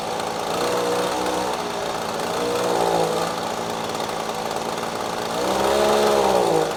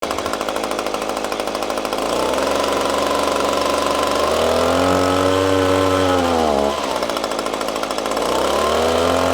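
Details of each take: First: Echo PB-250LN handheld two-stroke blower after fresh fuel and carburetor adjusting screw turned left: picks up cleanly on each throttle blip, pitch rising and falling smoothly without bogging; repair successful. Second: Echo PB-250LN handheld two-stroke gas blower bogging down when throttled up: revs climb, then pitch sags and stumbles before recovering; spark arrestor ruled out, later traced to carburetor adjusting screw.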